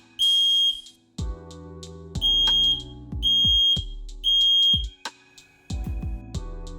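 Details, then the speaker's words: FireAngel Pro Connected wireless interlinked alarms (smoke, heat, carbon monoxide) just paired, test button pressed: loud shrill beeps in repeated bursts about once a second with clicks between; network test sounds normally. "You can then test the network by pressing any of the test buttons on any of these devices and listen for an audible sound."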